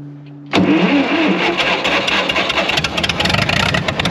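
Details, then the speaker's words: Wisconsin V4 engine in an R40 Ditch Witch after conversion from points to Hot Spark electronic ignition and a new switch: quick catch after brief cranking, then busy, fairly even idle while the distributor is moved to set timing by ear; starting and running properly. "well no timing light for now I know I'll get ripped on but well I'd say it sounds pretty good you can hear me moving it back and forth"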